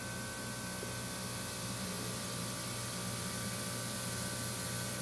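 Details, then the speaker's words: Goodman 2-ton A/C with a replacement compressor, suspected overcharged and sludged, heard indoors near lines touching wood: steady rushing refrigerant hiss over low hum, going quiet and loud again as the compressor cycles. "It's a lot louder down here than it seems, but you can hear the refrigerant. Gets real quiet."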